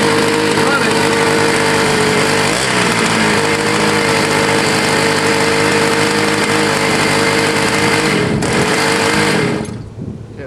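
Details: Scooter that sat a year, got wet in a leaky shed and was choked to start: even, buzzy two-stroke note holding steady with no misses or surging, then cuts out at the end; runs fine and restarts.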